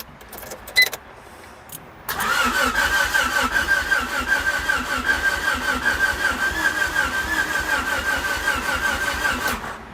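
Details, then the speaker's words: 1988 Honda Civic wagon with fuel issues, new distributor fitted: steady starter cranking about seven seconds, engine turning evenly but never firing; crank no-start, cause still being diagnosed, no fuel leaks seen. "Alright, she sounds like she's about to start."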